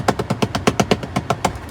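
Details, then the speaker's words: Chevrolet Impala (2006-2016): rapid clicking about eight per second from behind the dash, like gear teeth skipping, may continue after exiting until the car is locked; stripped blend door actuator gears, replace actuator. "Now, in this case, as you can see, this is mostly what's called the door actuator."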